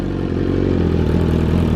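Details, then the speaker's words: BMW S1000RR carbon build, first start-up, warming until the fans kick in, no coolant leaks: fast, even idle with a smooth steady beat and slight clatter, no misfires; normal idle. "This is a special bike right here, folks. Listen to that, baby. Woo! Sounds so good."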